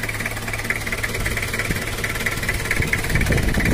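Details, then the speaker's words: Toyota Kijang LGX diesel at idle before cylinder-head service and valve adjustment: loose, uneven ticking knock like a drum "dung dung" over the rumble, two to three a second; idle feels weak, power lacking, radiator leaking; valve clatter from uneven valve clearance. "karena juga ada suara seperti kendang dung dung dung dung gitu"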